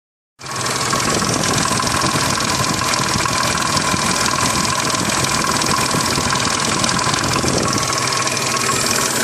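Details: Triumph Stag V8 idling with a loose, uneven clatter running through the rhythm. Abnormal engine noise at idle, timing chains or jackshaft suspected, not confirmed.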